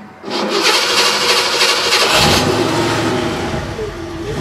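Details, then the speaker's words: Ford Bronco engine restarted warm after sitting a few minutes: catches abruptly with a harsh, strained surge, like locking up then overpowering it, then uneven idle; hard hot restart, owner suspects a leaking fuel injector causing hydrolock, not on cold starts. "hear that it basically it's like it's like locked up and then that basically overpowers it"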